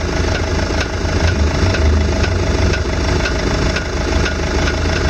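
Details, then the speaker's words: VW Tiguan idling with steering turned to full lock: dull knock from underneath roughly twice a second; suspected ball joint, not confirmed. "Мне кажется, шаровый, блядь. Такой звук на шаровый похожий. Полупластмассовый такой."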